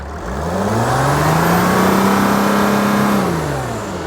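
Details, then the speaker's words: 2012 Mercedes Sprinter 3.0 L, check engine light, losing power, going into limp mode: engine revved, rising whistle over the rev; air escaping at intake silencer O-ring/gasket, a boost leak needing replacement. "yeah we have a leak over here RAB it again so we have a leak over here this gasket here is leaking this oing over here is leaking"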